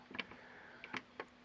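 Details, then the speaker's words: 2007 Honda Goldwing with ABS and airbag, rear shock preload adjuster: short quiet whirring bursts as the electric preload pump cycles back and forth to purge air after oil was added to the low pump; hydraulic preload pump running. "voilà on l'entend déjà à partir de 4 et de tirs donc je vais refaire tout à l'heure en mettant bien dessus pour qu'on entende bien"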